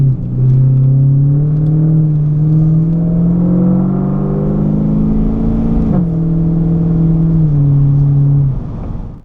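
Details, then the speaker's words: Clubsport with rebuilt 4L60E automatic, town driving test drive up to top gear: engine note climbs then drops cleanly at each upshift, no flare or slip; super smooth, crisp normal shifts. "So there we go, that's now in top gear. Those shifts were super smooth, and that's what you want when you're driving around town, something that's a real pleasure and easy to drive."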